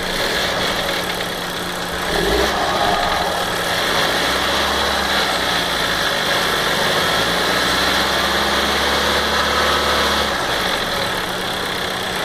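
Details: 2015 VW Golf Variant 1.4 TSI at 3,000 km, engine ticking: light quick ticking over smooth idle, three to four ticks a second like a lifter tapping; owner suspects lubrication not always happening correctly, cause not confirmed.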